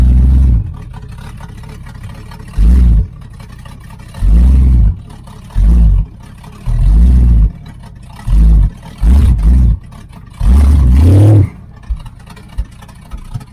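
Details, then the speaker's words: 1980 Camaro Z28 V8 with new knock-off Holley 4-barrel carburetor, choke flap opened so idle screw could lower idle, timing not yet adjusted: repeated throttle blips rise and fall cleanly; acceleration now good. "Yeah, it's got an acceleration now."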